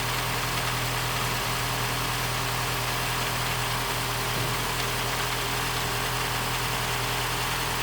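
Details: 2015 Mini Cooper S petrol engine, first proper start-up after rebuild: steady hum but revs hunt from 1,000 down to about 750–800; air getting in because the induction hose was not connected, a vacuum leak.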